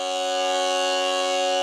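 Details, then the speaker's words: Jensen V21 upper compression driver from a 1960s Leslie speaker, on the bench playing a Hammond organ tone: steady note with a raspy, bumblebee-like buzz underneath from a worn diaphragm. "but I want you to hear the buzz underneath that kind of like a bumblebee buzz"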